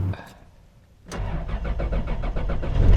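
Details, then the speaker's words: 1997 Toyota 4Runner Limited (3rd gen, about 350K miles, odometer suspected rolled back), first cold start: starter churns in quick even compression pulses for a couple of seconds without catching; extended crank, owner suspects fuel prime not held overnight. "So, on cold start, first cold start, she's got an extended crank. Oof."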